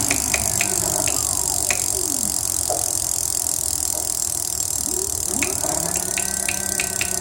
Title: clicking sound from motor